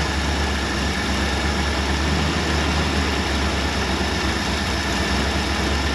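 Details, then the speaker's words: Early-1960s Ford F100 unibody V8, abandoned 25+ years, running on a temporary add-on cooling and fuel system: deep, steady idle with no misses, knocks or ticks, burning off debris and clearing up nicely. A normal, healthy idle. "this thing sounds good clearing up really nicely"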